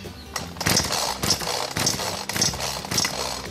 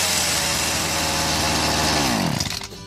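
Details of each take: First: BERALA BL-29X two-stroke chainsaw with fuel primed, choke pulled and switch on, still won't start before the fuel is drained; repeated rattling cord pulls about every half second with no firing. No start, blamed on stale fuel in the carburetor. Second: BERALA BL-29X two-stroke chainsaw, now running after fresh fuel was pumped through the carburetor; a high buzzy note running cleanly at speed, then revs falling away at shutdown.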